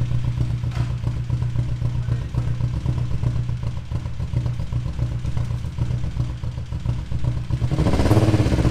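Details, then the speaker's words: VW GTI engine due for R32 3.2 swap, also misfiring; steady idle with loud rapid clattering knock in time with the engine, louder as revs rise; cause unknown, owners suspect a stuck lifter or valve and possibly a bearing. "now you might think to yourself that sounds awesome it sounds like a major camp but no it's also knocking horribly bad and we don't know why"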